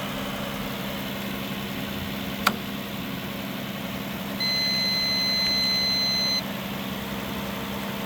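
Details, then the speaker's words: Worn engine at 223,000 miles with coolant buildup in the oil, described as near seizing. Tired idle with steady tapping of about four per second. The owner suspects a rod hitting the top, possibly a lifter. Knock at idle. "it's definitely not sounding good uh it could be even a rod knock on this on the top so maybe one of the lifters but uh I think one of the rods is hitting the top"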